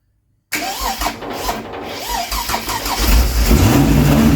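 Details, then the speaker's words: Holden 202 straight-six with twin carbs in a 1938 Chevy rat rod, first start after sitting over 20 years, with no exhaust fitted. Lumpy, uneven running; timing is slightly out, the carbs need tuning, and a fuel fitting is still leaking. "It runs. So, the timing's a touch out. Definitely need to tune the carbies."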